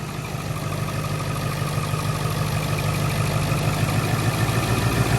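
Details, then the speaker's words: Low-mileage Ford F350 7.3 Powerstroke diesel idling to warm up after first oil change (Rotella T5, Motorcraft FL-1995 filter): steady even idle, deep regular clatter, no odd knocks or ticks; sounds healthy. "Everything sounds good, sounds healthy."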